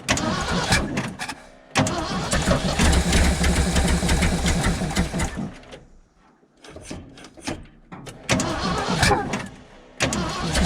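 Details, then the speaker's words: 1975 Ford F750 pipeline truck carbureted V8 after a slight distributor timing adjustment: catches and surges in uneven bursts, nearly dies, picks up again; rough running, owner suspects a clogged fuel filter starving it. "all right now it's acting like it's running out of fuel i need to change that fuel filter because that fuel filters yeah doesn't look good"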